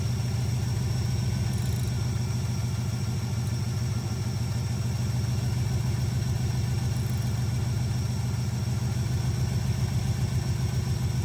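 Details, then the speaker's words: Small-block Chevy V8 with hydraulic lifters in an El Camino, idling during valve lash adjustment: a light, quick valve-train tick on the low rumble from a loose rocker. The fix is to tighten until the ticking stops, then three-quarter turn. "now you can hear the ticking so it's going to start tightening so he stops hearing the clicking and then it's three quarter turns"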